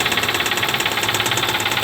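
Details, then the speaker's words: 2014 Kia Soul 2.0 L GDI petrol engine running with a fast, even metallic knock, very noisy, worse on acceleration; starts every time, source unknown before engine removal and teardown. "so this thing does run and drive as you can hear it's very noisy probably somebody knows exactly what this is like I said it starts right up every time but it's making a lot of noise"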